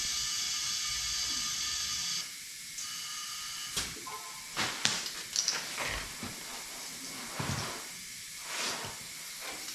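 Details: Old Detroit Diesel race truck being reassembled; steady high-pitched hiss for a couple of seconds before handling noises, compressed air escaping.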